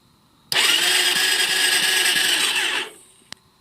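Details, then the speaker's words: Suzuki LTZ 400 that cut off in 4th gear, retried with a different battery: about two seconds of high, even starter whir, engine never fires. Cranks but won't start; owner suspects battery or starter clutch, fears crank. "LTZ won't start just put a battery in it try it again"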